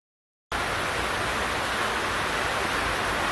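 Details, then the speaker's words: Audi S6 Lamborghini V10 during carbon clean, valves closed: steady airy hiss rising as piston comes up on compression, air leaking past a closed valve that isn't sealing. "I don't know whether you can hear that on the camera or not, but these valves are closed. It's coming up on compression, and you can actually hear it leaking around the valve."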